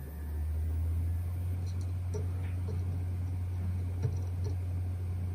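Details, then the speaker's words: Hard drive from a USB enclosure, removed and powered in an external USB dock: spindle accelerates properly with steady hum and a few light head ticks during self-test; drive appears healthy, fault traced to the enclosure's power supply. "On power-up I notice how the spindle properly accelerates and the drive heads test is performed."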